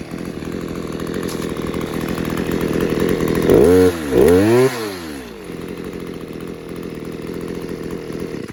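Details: Stihl KM94 RC combi powerhead with strimmer attachment, tested after a rebuild with new bearings, seals and carb work following years of hard use: steady idle, two quick clean revs rising and falling smoothly, then settled idle; runs sweetly.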